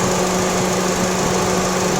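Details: Honda Brio petrol engine that had been overheating because the radiator fan was dead, now repaired. Idling with the A/C compressor on. Steady, even idle with a constant fan whir, no knocks or misses; the fan repair works.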